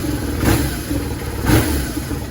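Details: 2000 BMW R1100RT boxer twin after service and carb adjustment: idles steadily, picks up cleanly on two sharp throttle blips and settles back; healthy, crisp response.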